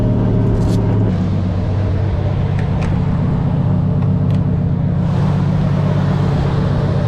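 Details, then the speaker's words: 1JZ-swapped Nissan 240SX (S14) drift car: lumpy idle with an uneven beat and dropped pulses, misfiring after water got on the uncovered spark plugs during washing; it still misfired after plugs were changed. Engine misfire from wet spark plugs. "There was a bunch of water that got on the spark plug from when I washed it. I didn't cover up the spark plugs. Oh, damn. It just misfired again."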